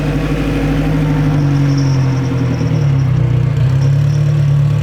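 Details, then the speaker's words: Honda race build with straight-cut gearbox while driving: steady low gear whine over the engine drone; normal straight-cut gear sound. "Did you hear the transmissions? The Yeah. Yeah. Straight cut the gears."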